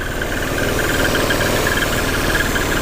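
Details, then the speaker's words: Peugeot 408 on lift, idling: uneven fluttering chirp coming and going, not the timing belt; stops with oil cap removed and returns when reconnected, traced to faulty PCV/oil separator valve in the valve cover. "eu tirar a tampa de óleo do motor que está em funcionamento a hora que eu conecto ele começa a fazer barulho novamente"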